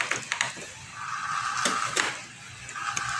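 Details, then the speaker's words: Automatic scooter that won't start and shows no MIL fault code; a faint steady high hum comes and goes under a few clicks as the fuel pump primes normally. The fault is a lost ground on the ignition coil wire. "kalau misalkan Ecu yang jebol namun di sini untuk pulpam masih dengung Pak ya untuk pulpam masih dengung"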